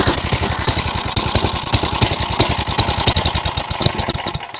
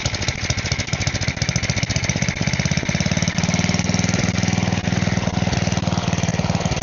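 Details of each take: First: Side-shaft small engine for a go-kart, cut fuel line repaired, sat for an unknown time: started on choke, it fires lumpy and uneven with irregular pops and dropouts before dying out; owner believes the dirty carb needs cleaning. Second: Side-shaft small engine for a go-kart, running on a 2x4 with air filter off and smoking: fast, even single-cylinder beat with a steady exhaust note; seems to run fine.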